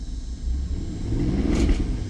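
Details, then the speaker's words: BMW 550i twin-turbo V8 (N63) revived after fixing ignition-coil fuses; lumpy, uneven rumble with brief rev blip, running rich, blue smoke, burning oil, probably misfiring. "It actually sounds kind of decent. H when you do that, it does smell quite a bit. So, it's definitely burning some oil and it's probably misfiring."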